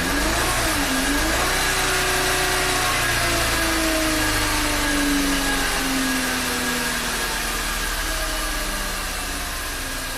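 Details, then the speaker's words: VW Tiguan turbo direct-injection petrol engine at idle after a new high-pressure fuel pump and an oil change (gasoline was found in the crankcase). Idle dips, then runs lumpy with regular stumbles. Quickly set P0301/P0302, with misfire counts on cylinders 2 and 1; it feels like a dead cylinder. "So it only counts at idle, even though it's shaking right now. Well, it did set a 301 and a 302 very quickly. Definitely feels like a dead cylinder."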